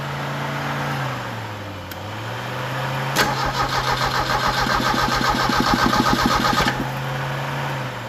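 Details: Donor 1986 Merkur XR4Ti 2.3L turbo Ford engine test-started with a fresh battery: the starter spins it for about three and a half seconds with even compression beats near four per second; cranks healthy but doesn't fire.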